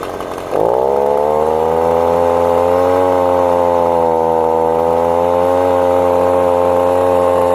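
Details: Echo leaf blower, two-stroke, after installing new carburetor, fuel pickup and air filter; started cold, too much choke noted. Quick rev-up settles into a steady, even, high buzzing drone; runs normally.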